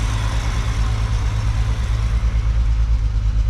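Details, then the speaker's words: 1968 Ford Falcon with a new budget exhaust using a Ford Explorer muffler, cooling system cleaned out. Steady low exhaust beat at idle with no misses, ticks or knocks; idling smoothly and quietly. "And also, now that we have the whole water system and cooling system cleaned out, it is running very quietly and sounds"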